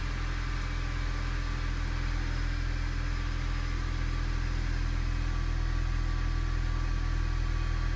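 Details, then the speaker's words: 2004 Honda Civic idles with an uneven, lumpy beat, code P0303 cylinder 3 misfire, caused by a leaking head gasket; head gasket repair fixed all symptoms. "start it up for you doesn't sound good at all doesn't feel [Music] good no tack on this thing it's ridiculous"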